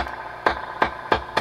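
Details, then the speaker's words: Dr Z Maz 38 Senior guitar amp whose reverb feeds back and squeals at higher levels: four sharp taps on a 56k resistor near two turrets each set off a ringing crackle through the amp. The resistor is suspected faulty and slated for replacement. "but the big thing that's that about deafened to me was I tapped this resistor you hear that noise that's making"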